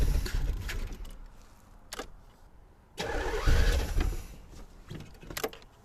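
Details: 1984 Corvette during distributor diagnosis, pushing heavy smoke; owner wonders if the exhaust is plugged. Engine cranks in uneven bursts, catches briefly, fades, then cranks and catches again; hard starting, cause still unknown.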